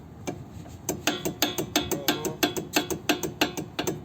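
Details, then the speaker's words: 2010 Mazda CX-7 with persistent noise despite new sway bar links and strut: sharp metallic clacks, about three a second, as the caliper is rocked; the smaller caliper guide pin is loose with a torn boot. "goes your nose right there so that is a result of hold on one second this caliper pin right here out of the two that's the bigger one i mean the smallest one and it's supposed to have a boot that's going to keep you from riding around and by the looks of it this boat is torn"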